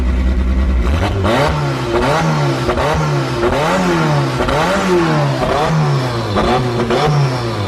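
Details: Forged Toyota 5E-FE rebuilt engine with big camshafts, first start-up with a hollow dummy gearbox and a stress-cracked flywheel; revs blipped up and down about once a second, loud and crisp with no knocks or rattles, healthy.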